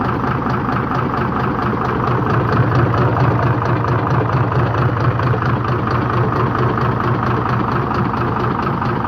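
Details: Hino J08C diesel with reduced pulling power and oil coming from the silencer (cylinder five) at idle: a steady dull knock, roughly two per second, under the clatter, pointing to a piston fault.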